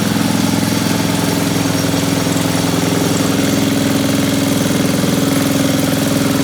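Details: Old Briggs & Stratton powered generator after sitting a few years, carburetor and points repaired: small single-cylinder petrol engine holding steady governed speed, no misses or knocks; pull-start one-way bearing dry and screeching; normal running.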